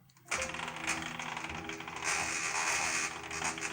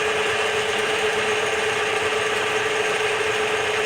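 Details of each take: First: Home-built benchtop CNC milling machine facing a small steel piece: several steady stepper whines with a gritty chattering edge as the X axis moves to 7.5; the motor sounds strained, cause unclear, adjustments pending. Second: Bench-top DIY CNC mill making its first facing cut on a small steel piece, 3-in-1 oil as lubricant; steady, even cutting hiss, constant mid-pitched tone, no chatter or knocks, facing cleanly.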